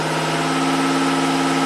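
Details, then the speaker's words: 1990 Buick Regal GS V6 with severe low power, idling after an injector was tapped with a screwdriver: a smooth, even idle with no misfires (IAC 35, MAP 11.8). It is running cleanly. "oh yeah that's that's what a V6 should sound like and feel like"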